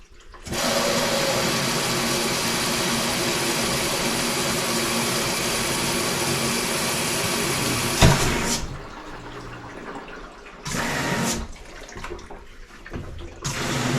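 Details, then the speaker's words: LG WM2301 front-load washer, about nine to ten years old, after new water supply lines fitted: steady even water rush for about eight seconds, then short filling bursts, no chatter or hammering; cold water fill working. "let's run this sucker again I think we finally fixed our problem well the cold water is definitely working"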